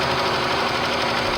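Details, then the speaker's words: Engine damaged after an incorrect oil change in which the oil light came on. The light is now off, but a fast, constant knocking clatter runs over the engine: knock from oil starvation. "well there's no more light but the engine is it's noisy see that's what i was telling you"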